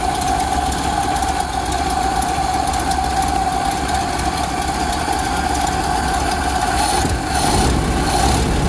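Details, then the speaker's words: 1928 Ford Model A that sat for years, first start after a carburetor rebuild (old fuel like chocolate milk), with new fuel strainer and idle and adjusting needles set one turn out: runs just barely, uneven lumpy idle with wavering rhythm; rough idle. "now let's see if it starts it's running but just barely"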